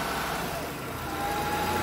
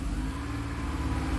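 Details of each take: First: Honda truck with code P0108, after MAP sensor check: even steady idle with no rise and fall in revs, smooth and settled; the earlier up-and-down revving is gone. Normal idle. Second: Honda truck with code P0108 (MAP sensor high signal), before repair; it had been running hot with black soot at the muffler: engine revved with a steady mid-pitched drone, while the scanner's MAP reading stays stuck at 52.2 under throttle.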